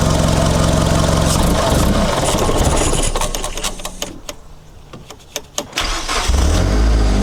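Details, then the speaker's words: Mitsubishi Lancer CE two-door coupe, first start after reassembly and battery reconnection: engine catches and settles into an uneven, lumpy idle with stumbles and dips, seeming rougher than before. Rough idle from faulty MAF sensor. "I don't know if it's better or not yet not really actually seems to be running rougher"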